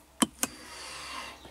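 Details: 2016 Mazda CX-5 electric parking brake after rear rotor and pad replacement, once stuck on and reset, no DTCs: two sharp clicks, then a short quiet motor whir as rear calipers clamp; parking brake applying normally.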